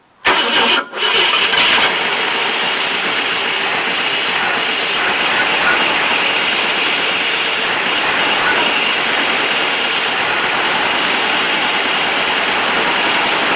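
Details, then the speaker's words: 1966 Ford Thunderbird with FE 390 V8, first run in at least 13 years: it catches after a brief crank and settles into a steady, even run with no knocks or misses. Normal running, with nothing abnormal seen from the exhaust. "well for the first time in at least 13 years this thing has arrived and running the old 390 was running good"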